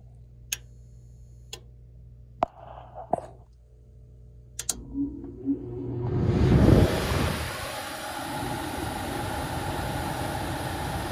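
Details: Furnace blower switched on with a jumper after the noise complaint under the house was found: spins up into a smooth, steady rush of air with no rubbing, rattle or flapping. Normal operation.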